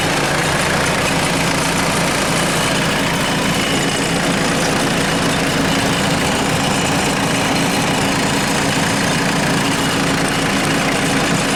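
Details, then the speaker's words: 1996 Mitsubishi Delica L400, 2.8L 4M40 diesel, warm after 25–30 minutes of running following head gasket replacement: steady, even clatter at idle with rain hissing in the background and no misses or knocks. Idling normally. "uh we've been running for about 25 30 minutes just gonna show you"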